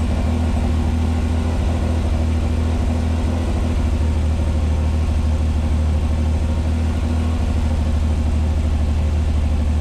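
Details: 1986 Pontiac Fiero SE V6 with known high idle problem, cold start on a warm day; even deep hum at 1,220 rpm per timing-light tach, slowly dropping while warming: high idle when cold.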